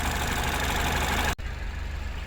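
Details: Citroen DS3 with newly fitted performance induction kit: smooth even low idle with a steady pulse, no knocks or rattles; normal warm idle.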